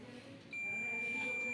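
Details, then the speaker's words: Microwave oven heating element (element inside a rod) checked with a multimeter on continuity: after a short quiet lead-in, a steady high-pitched beep holds continuously, showing continuity, so the heating element is intact. "दे रहा है बम की आवाज़ भी देता है ना आप लोगों को पता है सभी को हीटिंग एलिमेंट भी है भाई देता है सभी को मालूम है क्योंकि इसके अंदर कंटिन्यूटी बनती है"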